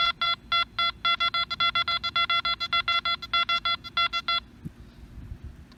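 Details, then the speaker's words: Nokta Makro Anfibio metal detector over three adjacent targets at faster sweep: rapid train of short high beeps, about three or four a second, each kept separate; quick recovery. "three separate targets right next to each other and this machine recovers quickly to let you hear all three oh wow"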